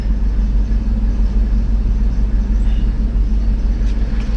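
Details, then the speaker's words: Old Mercedes SL not run for a while, on old gas, started and idling: steady, even low rumble with no misses, knocks or ticks; purrs like a kitten, normal idle. "man she purrs like a kitten too guys she does we got to burn all that old gas out of her but she runs great"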